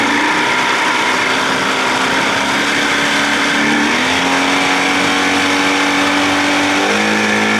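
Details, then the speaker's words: 1979 Evinrude 55 hp outboard in neutral, with the original carb reinstalled and the reeds inspected, still revving high at idle: a buzzing note that steps up and down on its own. The idle surges, and the owner suspects the float needle is not seating; unconfirmed. "gonna do it again i can i can tell by that noise float needle not seating sucking gas"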